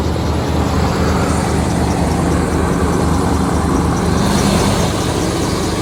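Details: Cold-start idle of a 1992 Chevy Silverado K2500 3/4-ton 4x4 with a Chevy 350 V8, hood open, about 40,000 km in the last 8 years: a deep, steady V8 burble with no knocks, ticks or misses, no smoke. Sounds healthy.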